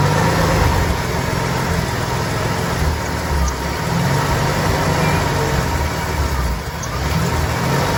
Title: Inline6 300 Rough Idle